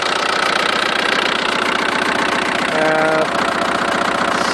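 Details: 2000 VW ALH TDI diesel with no power and white smoke; rough idle with an uneven knock, stumbling now and then, a random misfire; owner has heard the injection pump or a bad cylinder suggested, unconfirmed.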